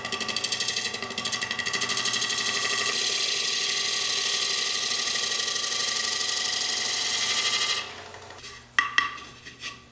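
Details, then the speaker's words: Lathe turning with a spindle gouge, truing the spigot area of a rough-turned hollow form: once the cut settles the earlier out-of-balance knocking stops, leaving a steady, hissing, even cut on the trued workpiece. "you can really tell when I start getting a nice Cut in here that it does get shwed up and you won't hear that knocking on the wood anymore"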